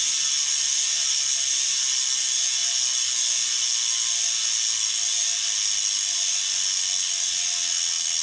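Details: Bontrager Aeolus Pro 3V wheel with DT Swiss internals on 2022 Trek Domane SLR7; rapid, even high-pitched buzzing clicks while coasting, no skips or grinding; normal healthy freehub clicking.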